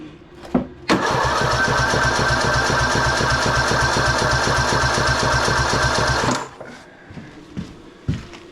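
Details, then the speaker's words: 2007 Husqvarna YTH2042 lawn tractor with 19.5 hp Briggs compression-release engine, full throttle, compression test about 60–65, weak spark earlier suspected: starter cranks at about four even pulses a second for five seconds, never fires; cranks but will not start. "I'm gonna get the green light one more time and give that another crank. See if I can get a longer crank."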